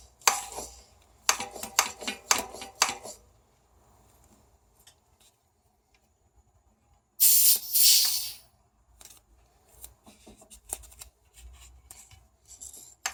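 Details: RockShox Sektor Silver TK Solo Air 140mm fork pumped: sharp dry clicks about two per second as the spring-side inner tube, with about 1 mm play (possibly worn seal), is pushed up by friction and hits the top cap.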